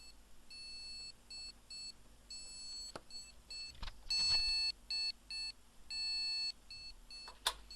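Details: Desktop motherboard powered up via a light-bulb current limiter with no RAM installed: clear high-pitched beeps in short and long bursts in a repeating pattern, the board alive and signalling missing memory.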